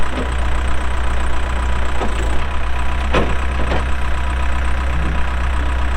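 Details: 2007 Case 580M Series 2 backhoe, 4WD, Extendahoe, pre-emissions diesel, 3,812 hours: deep, steady diesel drone with even firing and no knocks or misses while working; runs good, hydraulics strong, healthy normal running under load.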